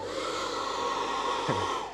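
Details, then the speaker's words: Freewing T-33 Shooting Star RC jet taxiing, ducted fan with no cheater hole and opened-up inlets: steady mid-pitched whine that wavers and sags as throttle eases; fan unhappy at low speed, expected to smooth out tonally once up to speed. "the intonation of the fan that's because there's no cheater under here and we opened up the inlets so it's completely clean in here but that means at low speed the Fan's not super happy"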